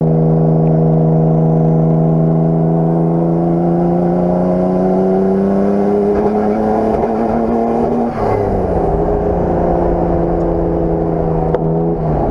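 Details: Nissan Skyline R32 GTR at Dubai Autodrome misfiring under load: the engine revs up with a ragged, stuttering note under throttle and breaks up; the cause is unknown.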